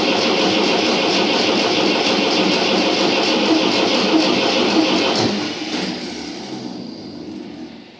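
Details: Tractor diesel, first start after an engine rebuild. Steady starter churning about three turns a second with no firing, then winding down; long crank with no start while diesel fuel was still bleeding through, and the starter also needs repair.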